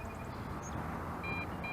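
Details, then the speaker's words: Potensic D80 drone in flight: over the rotor drone, short high-pitched beeps repeat in pairs about half a second apart, the low-battery warning to land. "we can't see it but you can hear it beeping that means that the battery is low and we need to bring her on down"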